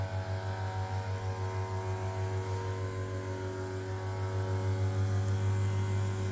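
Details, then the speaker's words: 1989 Kone rope hydraulic elevator in a Copenhagen apartment, recorded in the machine room: steady low motor hum with an even pulse about three times a second, smooth and unchanging; normal pump run. "Yeah, if you don't know if you can hear it properly, but that is the sound of a rope hydraulic elevator."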